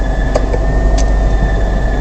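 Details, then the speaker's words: Car on a long road trip, driving: steady high whistle with higher overtones over engine and road rumble, growing louder over days; not the belt slipping, source unknown, car ended up at a workshop. "Procurei, não era a correia que estava patinando, era um apito, e esse apito foi se agravando, foi ficando cada vez mais alto, com vários outros harmônicos, vários tons."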